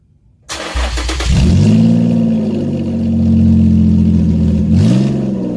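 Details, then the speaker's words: Car after cutting out the bad Y-pipe, running with open exhaust at the catalytic converters before fitting the new Y-pipe: cranks, catches and revs with a loud, raw, deep rasp sagging back to idle. "oh you heard that hey Birkhoff lo cats open cats for the win"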